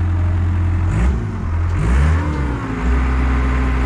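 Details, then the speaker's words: Auction diesel machine, restarted after battery disconnect cleared flashing seat belt/park brake codes: steady rumble with throttle blips and clean turbo whoosh; turbo sounds good. "I hear the turbo it sounds good I think you got a good machine"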